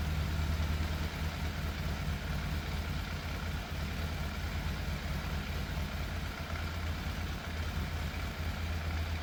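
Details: Fire-damaged Yamaha FZ750 four, 41,000 miles, choke confirmed off: steady low idle with occasional uneven, loping beat; misfire, middle two cylinders' exhausts cooler than outer two, cause suspected not confirmed.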